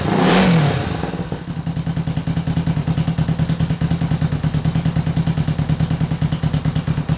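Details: 1968 Honda CL450 after a starter clutch repair, started on the electric starter: a short rev, then an even twin idle of about three pulses a second. The starter now turns the engine and it runs healthy.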